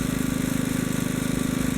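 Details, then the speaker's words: Kohler K181 (6–8 hp) during carb adjustment: after turning the screw in until it struggled, backed off half a turn (one turn in from start); even, steady beat with no hunting; normal steady running. "now i come back slowly and wait for it to stabilize at a half turn back it's steady again"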